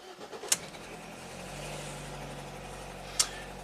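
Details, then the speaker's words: Ford EcoBoost van restarted after repair of a defective factory crimp splice in the engine harness, 13.9 V on OBD2 before cranking: two sharp clicks, then a quiet, steady idle with no misses, a clean, healthy start. "we're going to take this pastry van on one more test drive it has to be absolutely Flawless so OBD2 data 13.9 13.9 we're starting off great let's fire it"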